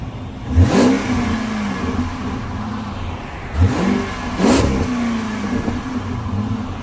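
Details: Dodge Magnum with a newly remanufactured 345ci Hemi V8, its first (inaugural) cold start: it catches and settles to an even idle, then takes three clean rev blips that rise and fall crisply. Healthy.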